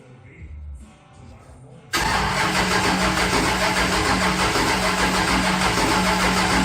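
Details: Henry J engine with an untuned Sniper: even starter churning at about 200 beats a minute that never catches or fires, a crank no-start with no spark.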